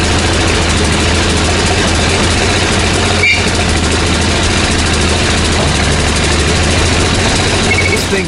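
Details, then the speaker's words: 17-year-old Ford F-150 with 215,000 miles, revved hard: a rough, straining engine that never pulls cleanly, with an occasional backfire pop and a rotten-egg smell. The owner suspects catalytic converters clogged after the lower intake manifold gaskets failed; the muffler is rusted through. "I mentioned before that it was running rough, but it's a little more than that. It's a loss of power and an occasional backfire."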